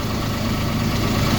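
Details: Citroen C1 after exhaust back box replacement with clamps and exhaust paste sealing joints: smooth, even low idle with steady hum, no puffing or ticking; normal idle, exhaust leak-free.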